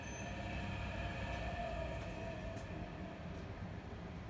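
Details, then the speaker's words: Ductable AC FCU indoor unit blower motor, switched off by remote: dull droning rumble winding down and fading; excessive noise from a worn, jammed motor ball bearing. "देख सकते हैं कितना आवाज़ कर रहा है, अभी हम आप लोग को बंद करके दिखाते हैं, कन्फर्म आवाज़ कितना हो रहा है।"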